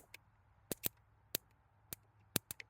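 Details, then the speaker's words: 1956 Chevrolet 235 straight six, parked since 1989, ignition test with points working: sharp, dry snaps about every half second as the spark jumps a large test gap; ignition spark present. "The points are popping off. They've been hot. Oh, I don't know if you heard it. That's jumping that giant gap."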